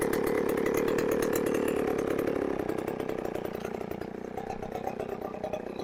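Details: Chainsaw after a new carburetor was installed, air cleaner off and choke off, tuning still expected: steady buzzing rev, then drops smoothly to an even idle without sputtering or dying.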